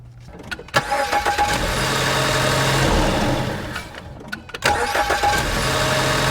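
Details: 2014 Ford Escape starting twice, each crank carrying a brief odd whirring rasp before idle. Filmed after the serpentine belt tensioner was replaced; the noise persists. Earlier it vanished with the belt removed, and the scope showed the most vibration at the tensioner.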